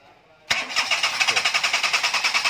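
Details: Engine that is hard to start fires after a quick crank, then runs with a rough, lumpy pulse about eight times a second and won't settle before stalling; cause shown as a faulty coolant temperature sensor, behaviour changing when the sensor is unplugged.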